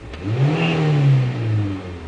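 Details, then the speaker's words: 2001 Mitsubishi Galant petrol engine stumbling and wavering as throttle opens, not on the way down; cause found to be a counterfeit camshaft position sensor, fixed by a new one: misfire/stumble on acceleration. "So, stepping on the gas, there's a stumble from the engine. You can't notice on the RPM gauge here, but if I step on the gas, it stumbles off the gate on its way up. It's a misfire or a stumble"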